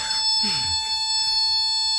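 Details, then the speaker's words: Toyota AE86 Corolla, long-stored key-in reminder buzzer plugged in: loud shrill steady-pitch buzz; buzzer working normally. "I remember these things shrieking like a banshee whenever you put the key in so I wonder if this one's exactly the same"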